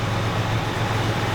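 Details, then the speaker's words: 1985 Jeep Cherokee Chief with a carburetor believed rebuilt and a new exhaust starts right up and settles into a smooth, steady low rumble with an even beat and no knocks or misses; a normal, healthy idle. "the engine sounds great it runs really well it's got a new exhaust on the thing man Idol's great"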